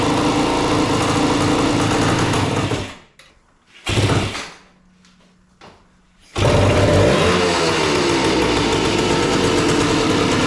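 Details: 1976 Suzuki TS185 two-stroke dirt bike, abandoned and sitting for years: rattles at a fast, uneven idle, fading out twice before catching; rough, poorly set idle.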